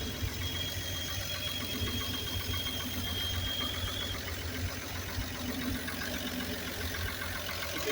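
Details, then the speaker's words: Grumman Kurbmaster step van 292 inline-six, sitting 22 years, rat's nest cleared from air cleaner and carburetor, fuel fed from a bottle: steady, even low idle with a light tapping rhythm, running smoothly after long storage. "doing pretty good though I think this thing's going to run just like it [Music] is"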